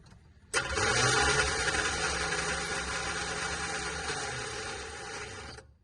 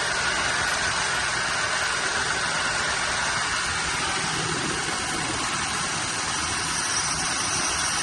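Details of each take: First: Cheap Chevrolet squarebody truck started with a jump pack: starter not engaging and whirring on steadily for about five seconds after the key is turned off, then winding down; suspected stuck solenoid or short. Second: Cheap squarebody Chevy truck after fuel supply trouble, now with a working fuel pump: steady, even run with a hissy, airy tone and no misses or knocks; engine holding idle, normal running.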